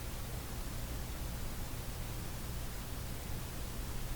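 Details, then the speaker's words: Philco model 32 tube radio on full mains at about 112–113 V, dim-bulb tester removed, replacement output transformer fitted: steady low hum under faint hiss through the speaker; mains hum, components suspected, not confirmed. "You can hear a bit of a hum. So 112, 113 volts. Yeah, it's humming along pretty good, so I think we will be changing these."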